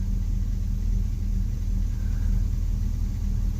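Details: 2004 Chevrolet Silverado 2500 HD 6.0 L V8 with P0300, cylinder 6 misfiring heavily: deep rumbling idle with uneven loping beat about two or three times a second; dead cylinder from clogged injector.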